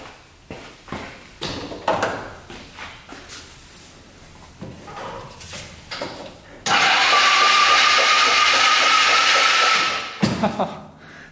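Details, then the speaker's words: Yerf-Dog Scout 4x2 UTV, sat outside for years, on a jumped battery, after penetrating oil and oil down the cylinder: electric starter turns the engine over slowly in uneven bursts about once a second with no firing; cause not confirmed. "he turns over seems kind of slow but it does turn over"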